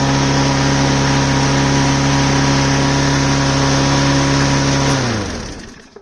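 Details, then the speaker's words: Troy-Bilt TB110 mower, 140cc Briggs & Stratton, that would start then die, running after carburetor cleaning; steady even drone about five seconds, then winds down and stops; repair successful. "Okay. Alright. So that's a success."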